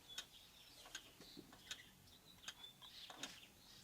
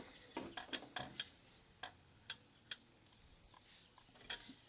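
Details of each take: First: Antique Vienna Regulator wall clock after installing the movement and time-side weight, with the ticks amplified. Crisp, evenly spaced ticks with no limp; the beat meter reads 2%, so the clock is in beat and will run well. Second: Antique Vienna Regulator wall clock, ticks amplified, with the case bottom pushed sideways, which works like turning the knurled beat nut. Ticks are uneven, short gap then long; the meter reads 40%, out of beat and will not run.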